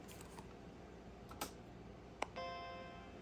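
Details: Apple PowerBook 100 after full recap, with two last capacitors replaced to restore sound: few soft clicks then clean sustained startup chord fading evenly, though internal speaker still broken; normal startup chime.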